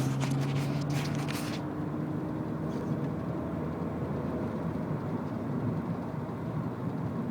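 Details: BMW E46 330Ci while driving with brakes released: low droning hum early in the drive that fades into road noise; cause unclear.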